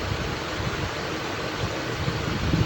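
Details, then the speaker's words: Honda engine after repair of a deep connecting-rod knock. The engine is started and gives a smooth, even low hum with no knock or tapping: a normal, healthy idle. "आप देख सकते हैं engine ने इस वक्त start करा हुआ है। साउंड भी बिल्कुल परफेक्ट साउंड है।"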